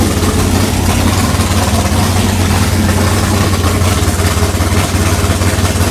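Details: 6th-gen Camaro V8 with new cam, heads and intake, dyno-tuned with valve lash set, fired up after a fuel-rail leak: deep, loping, choppy big-cam idle, steady and strong, louder and rowdier than the previous engine; normal healthy cammed idle.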